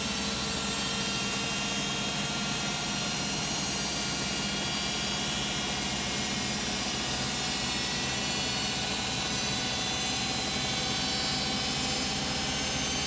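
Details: Beko WM5100W 5 kg washing machine found on the street, loaded with rags, on a spin of about 10 minutes. A loud, steady, high rushing roar with a fast whir at constant speed; a very loud spin, motor brushes possibly worn (unconfirmed).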